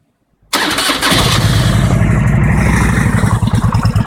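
Starter catches, then a cold lumpy idle with a heavy thudding knock under each beat, about three per second, louder on blips.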